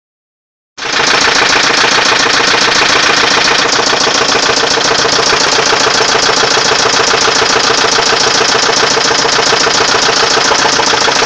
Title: knocking noise from volvo850